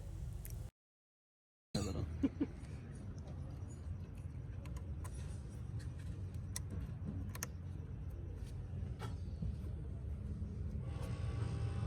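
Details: Haval H6 hybrid petrol engine idling with low uneven stumbling beat and check light on: misfire at start, caused by a cut wire.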